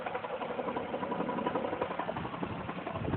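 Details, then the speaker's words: Lexus ES300 at idle with an uneven light knocking about four a second that goes away when revved. The AC compressor is suspected, not confirmed. "This is that Lexus on G68. As you can hear it, I don't know what that is, big dog. Some sort of knocking noise."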